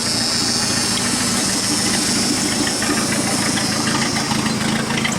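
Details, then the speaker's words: 1988 Dodge Dakota 2.2 liter four-cylinder, 5-speed: muffler came loose while driving, giving a loud, raspy, hissy idle with sharp chuffing puffs and little muffling; exhaust leak. "sounds good I can't leave it like that but that's camera here it's right there's about where the exhaust leak is"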